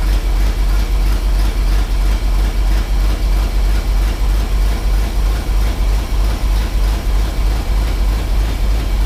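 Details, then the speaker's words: Ford F750 haul truck, stock engine restarted after a hot fuel pump near the coil: deep even idle, steady low pulse about three times a second, no ticks or knocks, quiet; won't run past idle; normal idle. "Sounds good. It does sound good. It runs real good. Quiet. Yeah, it is quiet."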